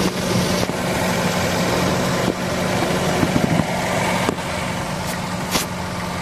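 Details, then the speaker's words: Hyundai Accent at steady idle, in-cabin as the steering wheel is turned left and right: dull single knocks (tok, tok) every couple of seconds despite replaced underchassis parts; mechanic plans to grease lower arm and stabilizer link bolts, cause unconfirmed. "Kapag pinipit yung manibela pakaliwa at pakanan, umiingay siya. Tok, tok, tok. Ang sakit sa tenga nun."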